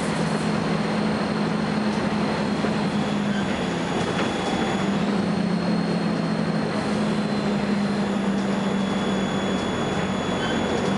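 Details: First Manchester Volvo B10BLE diesel bus, recorded 30 May 2011: a thin, high-pitched whine steps in pitch over the low engine drone.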